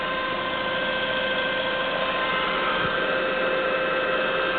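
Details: 1999 Saab 9-5 2.0T, 156k miles: steady high-pitched whine over idle until warm; sump had thick sludge build-up, fixed by removing and cleaning sump and strainer/pickup.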